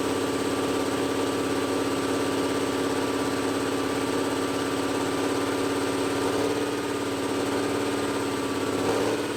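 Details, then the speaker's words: Old Cummins L10 diesel semi truck, stored roughly 23–30 years, first run after one puff of ether with the turbo seized; loud steady drone pegged at 2500 rpm, not changing. Stuck at high rpm, owner suspects throttle cable or similar. "now it's pegging out it's literally going 2500 rpm and just staying there so something is stuck throttle cable whatever"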